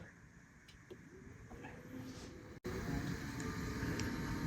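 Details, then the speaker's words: Apple Power Mac G4 Cube, 450 MHz, at first boot: steady whirring hum with faint wavering whine from the graphics card fan, which sounds very bad; the machine still boots. Failing graphics card fan. "card fan is very bad it bombed all that noise oh that's that's not a good sign"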